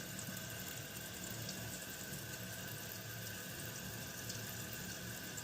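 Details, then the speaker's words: Kohler toilet tank refilling after replacing the leaking yellow canister flush valve seal (dupe for Kohler): steady even rushing hiss as the tank fills, no sputter or stop-start; normal refill. "And let's turn the water back on. And fingers crossed it fills up."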